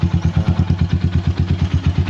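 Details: RC250 single with over 34,000 on the odometer, original battery, started by emergency start since push button fails (owner suggests cleaning switch): steady thump about eight or nine beats a second, even and unbroken; healthy idle.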